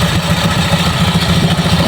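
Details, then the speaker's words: Euro Griffin 180i scooter at idle, after cleaning the CVT torque enhancer and lubing it with gear oil: even, regular low putter with no coin-like rattle or clatter from the drive. It runs smoothly. "Smooth na. Wala na yung kalansing, di ba? Ganun lang."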